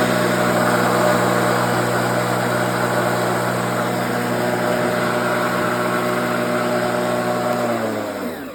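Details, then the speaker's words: New Neobitat E400 self-propelled electric lawn mower, blade on and self-propel engaged, tested in an overgrown yard: an even electric whir at constant pitch, winding down smoothly when released; the self-propel pulls well and it runs normally. "So yeah, it's got a pretty good self-propelled system."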